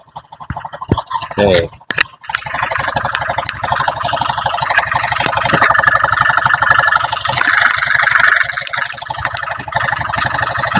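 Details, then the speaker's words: Honda Beat FI idling before repair, run without roller housing and with cam chain tensioner fully tightened: coarse clattery idle with harsh mechanical rattle, worse when tightened; worn piston found, internal engine discoloured. "Nah tak kancengi pol sampai mentok Mas tapi mesinnya sih tetap kasar mesinnya malah tambah kasar Mas"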